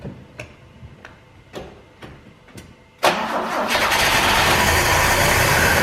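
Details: 1968 BMW 1602 (2002) first start after 10+ years sitting, on jack stands, choke likely needed, old fuel: slow uneven cranking about twice a second, catches at three seconds, settles into a loud rough steady run; debris blew from exhaust.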